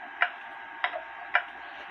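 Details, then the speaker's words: H.Th. Mylius German regulator wall clock, owner guesses 1920s/30s, after repair from a fall, pendulum just hung after setting the crutch: sharp ticks alternate long and short gaps instead of an even tick-tock, so the clock is out of beat and needs adjusting. "that's not right to me so I'm going to uh adjust it some"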